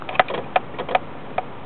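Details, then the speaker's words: Sharp irregular clicks in the driver's-side dash, about five in two seconds, right after the engine is shut off; the car also has intermittent stalling and a check engine light. An electrical short near the ignition switch is suspected. "sounds like some kind of a you know electric short circuit right around here maybe ignition switch or uh something right there"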